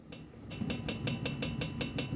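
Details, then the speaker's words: Ram 700 pickup, front right wheel area: above 90 km/h or on dirt roads, air catches the loose plastic splash shield behind the fender so it taps the sheet metal, quick light taps about five a second; fixed by drilling and anchoring the shield. "vamos a alta velocidad el aire se encaja acá y hace que esta parte plástica pegue con la lámina"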